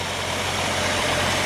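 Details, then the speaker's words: 1956 Willys Jeep 4x4 station wagon, restored, with 3.8-litre Buick V6 idles smoothly and evenly under the open hood, no knocks or misfires; runs perfect. "3.8 liter Buick, runs perfect."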